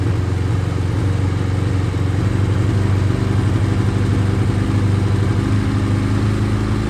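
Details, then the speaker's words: Ducati 848 before repair, throttle held steady: a deep twin beat whose revs drift up and down and worsen the longer it is ridden. It was overfueling with wet plugs; the shop then replaced the throttle position sensor. "holding the throttle at a certain RPM, and then it is just flicking up and down ever so slightly. It does actually get worse and worse the more you ride it, as you can clearly see here, which makes it an absolute pig to ride."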